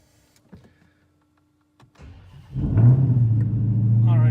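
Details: Hellcat's first start in about three months, battery charge doubtful, on a 55-degree December day in Michigan. The first attempt failed; on the second, a short crank catches within a second and settles into a deep, steady rumble: normal engine start.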